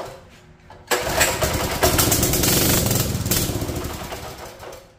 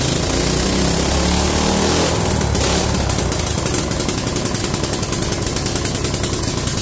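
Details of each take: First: Free mini bike, sat an unknown time and probably cold: the pull-start spins roughly but never catches, not getting fuel; water was found in the carburetor float bowl, and the fuel valve has broken tabs. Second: Free mini bike, single-cylinder, after draining water from the carb float bowl, throttle not working: steady even putter at about three and a half beats a second; idles fine.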